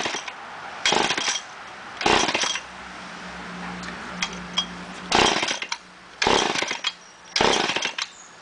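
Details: Poulan 245A chainsaw: bursts into short high revs about once a second, falls back to a weak stumble each time, then dies; hard starting and poor running, cause unknown.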